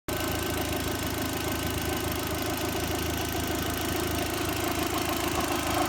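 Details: VW 1.8T at first start-up after timing belt, tensioner, idler, metal-impeller water pump, thermostat, housing and crank seal replacement: busy uneven whir and tick rising with rpm; owner suspects water pump, unconfirmed; abnormal whirring noise.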